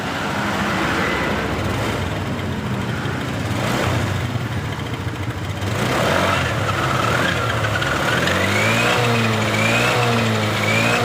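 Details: Honda Beat LED Deluxe that stalled with DTC code 7: after clearing the DTC it starts, revs up smoothly and settles to a steady idle with no stumbling; running normally. A loose EOT sensor socket was suspected.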